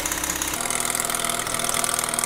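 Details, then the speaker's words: Mazda FD RX7 with rebuilt 13B rotary and big turbo: choppy idle with light fast rattle and puffing from the manifold-to-engine joint, leaking because the original gaskets were reused; to be replaced. "so basically what's happened guys is that we have just reused the original gaskets for the manifold to connect towards the engine so because of that a little bit warant and we need to replace it"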